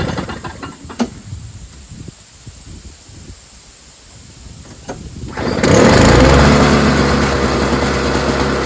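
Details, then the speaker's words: Toro CCR 3650 two-stroke snowblower, warm, sat unused for months with gas still in it, nothing done to it: after five seconds of handling it catches at once and settles into a steady, even run; healthy start. "Really cool. Sitting there for months. Started right up. Pretty reliable."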